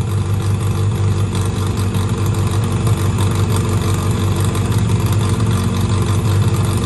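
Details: 1963 Austin-Healey Sprite 1098 after swapping the Weber for SU carbs, new plugs, ignition timing turned back to cure popping: smooth even idle, steady low rumble, no misses or knocks. Normal idle; SU leaking fuel, gasket kit rebuild probably needed.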